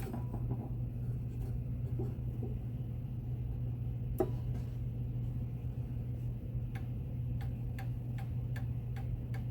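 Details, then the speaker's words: 1904 Gilbert "Congo" 8-day mantel clock after overhaul, pendulum bob refitted: crisp, even ticking about two beats per second over a low hum at the 30-minute mark; beat sounds even, clock running healthy. "It sounds pretty good at the 30-minute mark."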